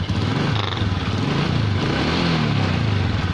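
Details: Honda Supra X 125 idle: uneven lumpy snoring with a stumbling low beat instead of a smooth purr, caused by a vacuum leak from a cracked breather/membrane hose split at the clamp.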